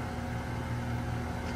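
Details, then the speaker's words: 2018 Goodman GSZ14 2-ton heat pump, fan running without the compressor since the previous afternoon: steady low hum as the compressor strains weakly but never starts; cause unknown. "so yeah, this compressor sounds very weak. It It will not start it."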